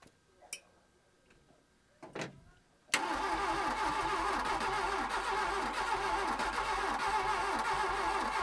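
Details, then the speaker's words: Mk1 VW Golf GLi Karmann cabriolet parked for 31 years: after a pause the starter spins the engine evenly at about four compressions a second, but it never catches. No fuel is coming out of any injection line. "nothing coming out of any of those injection lines so why is that I wonder"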